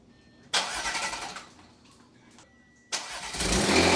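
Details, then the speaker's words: Rebuilt Audi S5 3.0 L supercharged after timing job, running a long time: two sharp bursts then steady strong run, no knock or rattle; smoke from valve covers. "this car has been roaring for quite a long time and it sounds so incredibly good"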